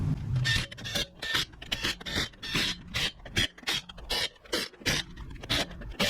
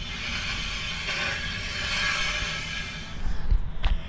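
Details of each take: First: After brake repair (noise caused by rotor dust shields, now cleared), wheel spun: light rhythmic swish about two and a half times a second, soft even pad rub, no grinding; normal light brake pad contact. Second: the more I think it is the dust shield the backing plate on the brakes rubbing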